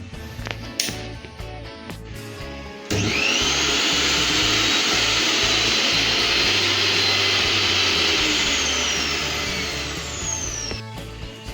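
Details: Preethi mixer after fitting a new 750 W motor and a new coupler: off for three seconds, then a steady high motor whirr that holds even with no rattle or labouring. Test run ok, normal running.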